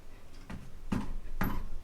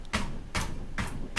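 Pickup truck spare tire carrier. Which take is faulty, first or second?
first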